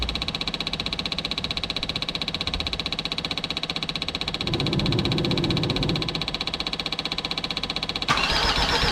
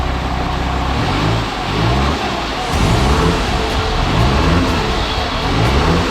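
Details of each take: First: Jeep Grand Cherokee WJ 2.7 CRD OM612 diesel, first start after a full engine rebuild, with a Facet pump trying to prime fuel: steady starter churning that never catches. The new injectors are faulty; the old ones work. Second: Jeep Grand Cherokee WJ 2.7 CRD OM612 diesel, first start after a full rebuild, with slight black smoke: an even diesel clatter that climbs and settles as revs are blipped, with no knocks or misses. Normal running.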